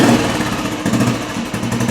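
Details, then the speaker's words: 2004 Royal Enfield Military single with short exhaust, just started on choke via decompressor: loose, even single-cylinder thump at idle with crisp exhaust bark, no knocks or misses; healthy idle, short exhaust sounds great. "That sounds great. Yeah, that short exhaust is really nice. The long exhaust sounds kind of crummy."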